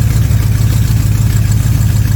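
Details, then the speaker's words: 1979 Corvette C3 V8 warming up right after a Holley Street Demon 625 CFM carburetor install. Lumpy idle with a sharp puffing tick on every firing pulse: exhaust leak where the manifolds meet the side pipes, which need a new pipe. "Now, we do have an exhaust leak under the car, so pay no attention to that."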